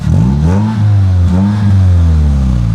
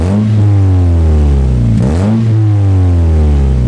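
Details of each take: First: Car just fitted with a new exhaust: revs rise and fall cleanly with a deeper, fuller exhaust note and no rattle or blow; sounds a lot better, healthy. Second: Warmed-up car (Yaris build) with a newly fitted exhaust; revs rise and fall twice, then hold high with a raspy, chuffing edge as the exhaust blows at a cracked aluminium weld. Exhaust leak.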